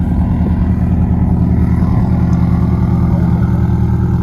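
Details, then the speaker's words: 2017 Subaru STI (VA, 400whp build), repaired and road-driven that day, started for its owner: deep, steady rumble with an even pulse and no knocks; running smoothly, though a small metal exhaust rattle, possibly from the downpipe, was noted earlier. "Drove this thing today. It sounds really good, so I think you're gonna like it."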